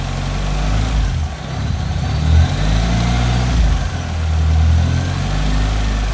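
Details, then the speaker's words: Ford RS Cosworth barn find after new timing belt and water pump, warming up: steady, even low idle with no tapping or hunting; normal idle. "how much nicer does that sound now you've got no tapping at all and there's no hunting or messing around with it"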